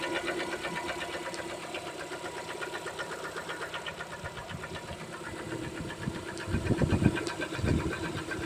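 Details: Lada Kalina 2 with automatic transmission, 6800 km: quiet idle with a steady light ticking knock in time with the engine, louder toward the end; engine knock, source unknown.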